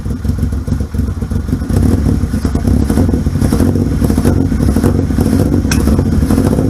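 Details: 1978 Yamaha XS750 Special triple, first run after a three-week revival, kick-started on choke: fires crisply and picks up cleanly on each throttle blip, settling back without stumbling; healthy.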